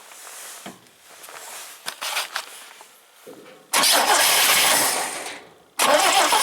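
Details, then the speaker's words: 1971 International Scout 800, AMC 232 engine, BW35 transmission: repeated cranking without firing; owner suspects coil not getting full power, no fuel seen going in. "Sounds like there probably another problem here where we're not getting full power to the coil."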